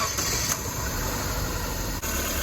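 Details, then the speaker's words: 1998 Chevy (Geo) Metro, crash-damaged, with AC condenser and fan deleted, idling: thin steady high-pitched whine over rough idle; owner wonders if it is the AC compressor clutch, unconfirmed. "they running good you guys care that high pitch is that the compressor clutch that I'm hearing"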